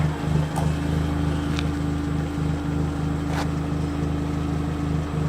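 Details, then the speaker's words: Vauxhall Corsa 1.4 Black Edition just fitted with stainless Cobra muffler-delete exhaust: steady even low drone at idle with smooth pulse, no ticking or puffing; checked for leaks, none found. "I should turn it on now and check for leaks. Oh, I'm good. Fuck, we're good, Ollie. There's no hole."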